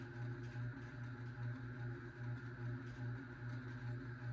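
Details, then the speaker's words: 52-inch unknown-brand bronze hugger ceiling fan (Harbor Breeze brackets, Hunter blades, Patriot Lighting Arthur housing) on medium speed: low mains-type buzz swelling and fading about once a second; badly wobbling, out of balance, cause unclear. "This fan is actually going obnoxiously crazy. Look at that. This fan feels like it's gonna fall down the ceiling."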